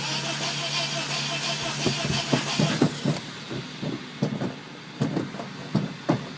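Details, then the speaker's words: Abandoned Honda Element AWD EX after starter replacement, one item possibly left unplugged; starter now turns the engine over with rhythmic uneven pulses and clicks but it never catches or fires; cranks but no start. "well that's further than we were although it doesn't run"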